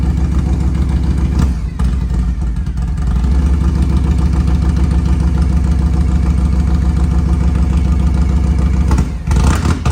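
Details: 1993 Harley-Davidson FXR-S with S&S 82ci V-twin, under 30 miles since restoration, cold on choke: deep, loping idle that dips and stumbles a couple of times while catching; cold-blooded rough idle.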